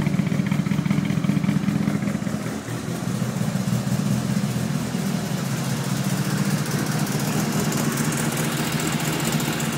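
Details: Fully forged Evo 1 4G63T turbo four-cylinder with 264 cams idling very rough, an uneven lumpy pulse from the aggressive camshafts.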